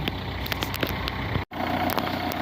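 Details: 2002 diesel Renault Clio parked about three years, jump-started and running about five minutes: light, irregular clatter over a steady low idle with no standout knocks. Usual diesel clatter, nothing wrong; normal idle.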